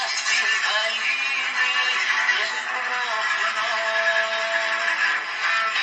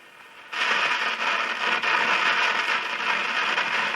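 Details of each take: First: AWA Radiola Champion valve radio (circa 1950–52) after valve replacement, antenna connected: clear music with singing at steady volume, no hum or crackle; normal audio output, though volume control reportedly has no effect. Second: AWA Radiola Champion valve radio (circa 1950–52) on the bench after output valve and output transformer replacement, test speaker: switches on into loud hiss with irregular crackles and pops; crackling interference, antenna signal lost.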